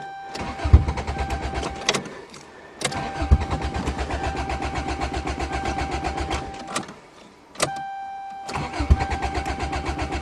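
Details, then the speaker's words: Car with no exhaust, cold-started in snowy December weather; several long bursts of even, fast starter churning with pauses, and it never catches. Crank, no start, attributed to no back pressure in the cold, unconfirmed. "cars with uh no back pressure and no exhaust are always hard to start in the [Music] cold"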